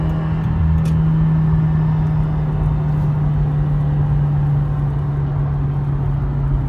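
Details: Stock 2017 Subaru WRX with only an axle-back exhaust, driving with a rough, throaty rumble and drone; a nut is missing or snapped off at the exhaust manifold, causing an exhaust and boost leak, for the second time.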